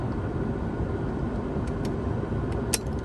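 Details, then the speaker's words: Porsche 944 S2 heater blower after fixing the fan motor resistor (previously only worked on speed four): steady, even airy whoosh on low, no ticking, squeal or rubbing; all speeds now work, normal blower operation. "let's see number one oh my goodness can you hear that that's on low number two works number three number two number one four"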